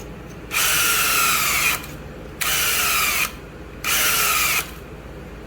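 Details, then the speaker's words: Cordless drill spinning a pump primer to prime the oil pump on a Buick Electra 225 455 engine, oil pressure gauge hooked up; three whining bursts sag in pitch as the drill battery dies. "My drill's dying. Hold on, let me get a new battery."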